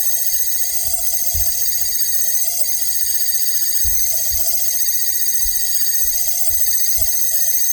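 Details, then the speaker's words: LG ThinQ refrigerator, manufactured 01/2022, about two years old: constant shrill whine with high ringing tones; fan still turns, owner blames the fan motor (called C motor), held by four screws. "that fan is moving but that fan is uh is making the the fan is okay but the the problem is the motor they call C motor"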